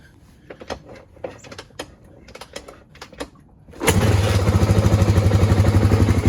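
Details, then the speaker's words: 1986 Honda ATC350X three-wheeler, refreshed, started outdoors in drizzle: a few clicks, then the single-cylinder fires on the first kick and settles into a steady, even thump; healthy start. "One kick. There she goes."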